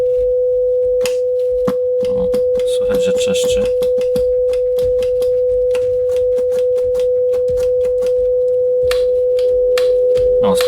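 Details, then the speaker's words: JVC VN-300 vintage receiver with test-generator signal: steady tone with scratchy crackle bursts as loudness, tape-loop and other switches are flicked, only stereo/mono clean; dirty selector switch contacts needing disassembly and cleaning. "Także jak widać praktycznie wszystkie przełączniki poza stereomono będą do wyczyszczenia, do zdemontowania i do wyczyszczenia."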